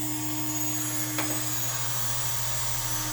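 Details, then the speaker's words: Shapeoko Pro CNC 2.2kW spindle at about 18,000 rpm with V-carve bit, water-cooled, VFD fan running: smooth steady high whine, no rattle or rumble; healthy. "Spindle spinning, got a V-carb bit in there. That's the sound."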